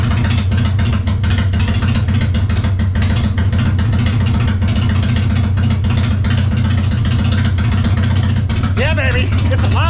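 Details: 1999 Harley-Davidson Fatboy V-twin running after the gas tanks were cleaned and reinstalled, started on a jump box. Settles into a steady, even lope with a deep low rumble and no misses or rattles. Normal running.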